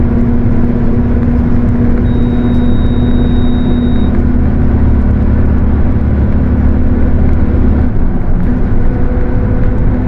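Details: Mercedes-Benz OF 1721 bus with a Torino S body, driving: a steady low growl and fixed hum over the drone; differential whine.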